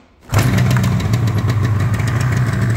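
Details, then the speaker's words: Yamaha RD350 LC F2 power valve two-stroke, about 13k miles, mostly original, cold start on choke: fires at once into a steady, even burbling idle with no misses; healthy cold start. "so this is going to be cold yeah that's a power valve"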